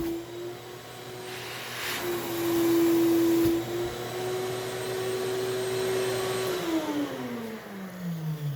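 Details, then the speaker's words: Shop vac on a CNC vacuum table with MDF board sealed down: steady motor whine that shifts pitch and sags lower as the airflow chokes off; vac pulling hard under full vacuum load. "I can pull the vacuum off because I'm lifting but if I try to pull it towards me it's not going anywhere if I lift I can lift it but listen to that vacuum"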